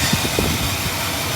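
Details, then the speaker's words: 1965 Pontiac Bonneville just after replacing the tired Carter AFB with an Edelbrock 1406 carburetor, started after about eight seconds of cranking and warming up: an even, steady idle rumble with no misses, knocks or stumbles. "literally crank it about eight seconds and lit right off so we're gonna let it heat up the temperature"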